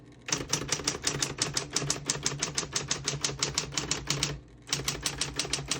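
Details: 1960s Smith-Corona Coronet Electric 12 portable electric typewriter, typing from the start of the margin with the paper bail set. Crisp, even keystrokes about three a second with a short pause, over a smooth motor hum. Normal typing.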